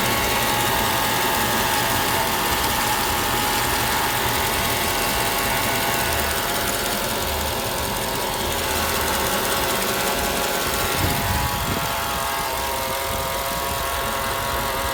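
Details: Mercedes E55 AMG V8 idling smoothly, with a steady high-pitched whine holding the same pitch throughout. The cause is unconfirmed, and the owner wonders whether it is the harmonic balancer.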